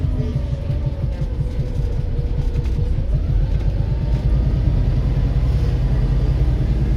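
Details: Volvo B7RLE diesel bus: deep diesel drone under load with a loose, uneven thumping of about two knocks a second; engine knock, cause not yet pinned down.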